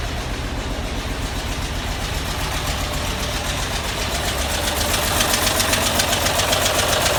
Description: An odd ticking noise cause by my push rods not properly adjusted led to the discovery of bad head gasket.